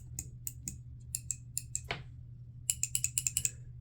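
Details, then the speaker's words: 2011 Audi A6 EZS steering column module being shaken: sharp irregular clicking and hollow rattle from inside, with burn marks visible on the faulty module. "you can obviously hear that this one is clicking and giving a weird noise as if it's a hollow from the inside"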